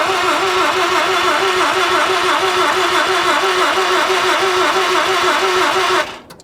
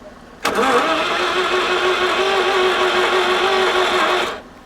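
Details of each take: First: 1983 Mazda RX-7 FB barn find rotary, long stored, running on petrol fed directly to the carb: buzzy, fairly even fast pulse for about six seconds, dropping away as the throttle is released; really smooth, runs cleanly. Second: 1983 Mazda RX-7 FB barn find, rotary engine, long stored: steady even cranking for about four seconds that never catches; fuel pump runs but nothing comes out, fuel system dry, no fuel delivery.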